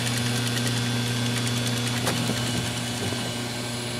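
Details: Old Polynesian hot tub after filter change, O-rings reseated, air bled and both gate valves open: spa circulation pump restarted, steady motor hum with firm low tone and faint early ticks, no grinding or cavitation; running normally.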